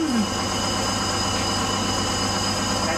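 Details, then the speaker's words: Crown school bus with Detroit Diesel two-stroke 71-series engine, just started at idle: steady high-pitched buzzer over the diesel; low air pressure warning until the brake tank pressure builds up. "noise, that noise you hear, that buzzer is the low air pressure. So, the air pressure has to build up in the tank."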